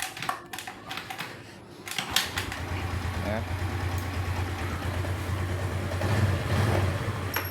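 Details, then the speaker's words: Skydrive scooter that is hard to start on the electric starter but starts easily on the kick starter: a steady starter whirr cranks with no firing. The starter motor and battery are not at fault; the CDI's start function is blamed, since electric cranking turns at a different speed. "Eh, ini ada trouble kalau di electric starter susah hidup ya."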